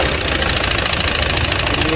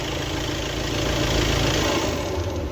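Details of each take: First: Audi Q3 2.0 TDI diesel with code P0016 (crank/cam position): rough loud idle with a hard metallic knock. The camshaft/cam plate has slipped out of position, so the timing reads wrong even when set correctly. First start needed a long crank after the injectors were removed. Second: Audi Q3 2.0 TDI diesel after cam plate replacement and timing belt work: even idle with steady low rumble, no ticking; earlier knocking and recurring cam/crank position (P0016) timing faults resolved.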